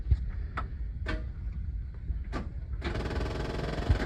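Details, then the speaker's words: 1956 Chevy 210 after generator-to-one-wire-alternator swap, not run in several months: few light clicks, then short dry buzz with no cranking; battery dead, needs a jump. "Dead as a hammer. Wouldn't you know it?"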